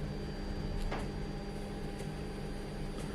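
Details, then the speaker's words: Fuel injector number one actuated through a bidirectional OBD2 scan tool: crisp ticks about once a second over a faint hum; injector opening and closing properly. "I can hear it clicking so I know it works this was injector number one"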